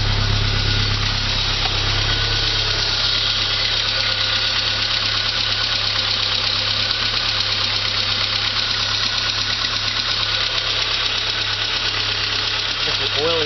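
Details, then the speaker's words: 1985 Saab 900 turbo first start after oil pressure loss, steel piece removed from oil pump and relief valve: steady idle with fast light valvetrain clatter that quietens as oil pressure returns. "hopefully when it starts up the rattling goes away Smooths out to where an engine supposed to sound like well it's quietening up already"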